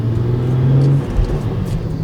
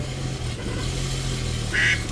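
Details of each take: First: 2011 BMW 335i (N55) with single-exhaust VRSF catback and 3.5-inch downpipe, driving after cleaning the VANOS solenoids with compressed air: smooth, even engine note that rises cleanly under throttle, no stumble or hunting; check engine light and idle issue gone. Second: 2011 BMW 335i N55, started just after oil filter housing and oil cooler gasket replacement and a new tune flash: low lumpy, uneven idle with recurring chirps and a check engine light; rough idle traced to clogged VANOS solenoids.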